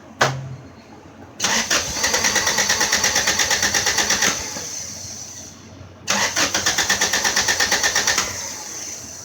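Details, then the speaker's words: Car after fuel injector cleaning with a Mophorn non-dismantle cleaner, new starter fitted: two bursts of quick even cranking about three turns a second without catching; owner thinks it's flooded/running rich and later suspects the distributor. "Sounds, it's really rich. So I'm gonna it's flooded."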